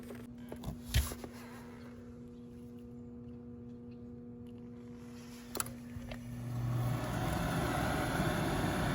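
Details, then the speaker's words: 2002 Trane gas pack with a no-heat short-cycling fault, after repair: the motor spins up smoothly from about six seconds into a steady hum with no rattle or scrape on startup for heat; sounds healthy. "Okay, nice smooth sound from that motor there."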